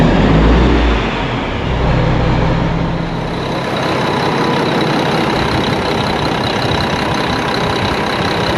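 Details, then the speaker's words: 1999 Mack E7 E-Tech semi-truck idling after its misfire was traced to the injectors and new OEM Bosch injectors were fitted: steady even diesel clatter with no stumbles or misses, problem solved. "There was an injector problem. DP was correct. He has installed the brand new OEM Bosch injectors. Problem was solved."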